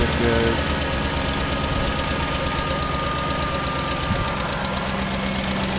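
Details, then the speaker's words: 2008 Ford Expedition just after replacing a cracked power steering cooler with a universal transmission cooler kit and refilling fluid: steady idle with thin constant high whine from the power steering pump. "once they crank it up and get some of this fluid do it started up again those whining a little bit"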